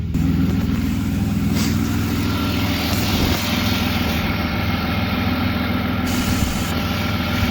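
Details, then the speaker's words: BMW E36 on the ground after a ripped ICV-to-intake boot hose was repaired, now running a catless M3 midpipe: steady, even low idle, no stumble, hunting or misses; normal idle. "chats are deleted no weird noises put the car on the ground and she's a runner"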